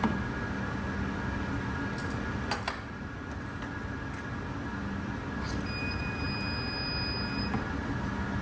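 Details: Laparoscopic instrument insulation test with Medengan tester and ring brush attachment, gloved, grounded: over low room hum a steady high beep for about two seconds as the shaft passes one spot, insulation breached there.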